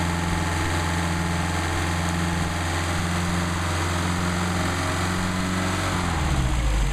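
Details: Mercedes 190SL four-cylinder with rebuilt Solex carburetors warming up before adjustment, about 99° ambient: fast, slightly uneven warm-up idle that settles as it runs. Carbs feeding well, engine healthy.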